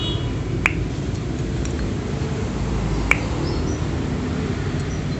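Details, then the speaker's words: Yamaha Jupiter cylinder head, which had white exhaust smoke on cold morning warm-up. Valve guide suction test: valve pushed in by finger, port closed, then pulled out. Two crisp pops show tight, healthy valve guides. "ditahan ini ditarik nah mantap bunyi ceplok itu mantap"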